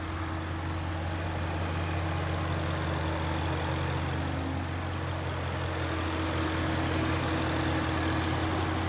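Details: 2011 Ford Mustang GT 5.0 Coyote with Roush exhaust, warm idle outdoors after a 15-minute, ten-mile drive following replacement of all rod bearings and bolts: smooth, even idle with no knock or tick; fixed.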